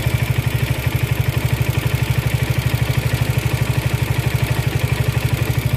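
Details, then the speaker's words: Suzuki Gixxer SF 155 motorcycle after oil, plug and filter service, at idle: fast even metallic rattle about three times a second over low engine thrum; shop called it normal, owner unconvinced, cause not found. "una semana lo seguí trayendo así y ahora el cascab Leo la como el tipo sonaja se escucha cada vez"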